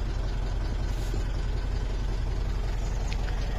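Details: 2013 Mitsubishi Strada (Triton) diesel after crank-no-start fix (codes U1504, B1707, cracked immobilizer antenna repaired with epoxy): low steady diesel rumble at even idle, no stumbling or hunting; normal idle.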